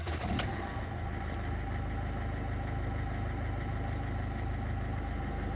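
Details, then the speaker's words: Ford TDCi diesel (Fiesta/Figo/Ikon) after timing belt replacement, before fitting the new V-belt: starts on a single brief crank and settles into a steady, even idle with no misses, timing correct. "ी belt लगाने से पहला गाड़ी एक ही self में start हो गई timing fact हो गया"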